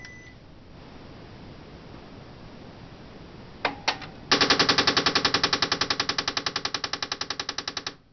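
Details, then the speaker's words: Canon Pixma MP780 inkjet printer, stopped mid-job with alarm and in-use memory lights flashing: beep, two sharp clicks, then loud machine-gun rattle; owner suspects the rear paper feed mechanism on the far right, not the ink assembly. "It seems to be coming from the uh rear paper feed assembly mechanism on the far right hand side. It's hard to uh it's not actually the ink assembly, but it seems more like the paper feed mechanism."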